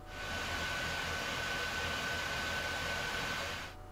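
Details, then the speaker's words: Early PS4 Pro under load with stock fan, before replacement: loud steady rushing air with constant thin whine that never eases; cleaning and new thermal paste didn't help, replaced with aftermarket fan. "hi minions this video is going to show you how to turn your playstation 4 pro that is loud from this"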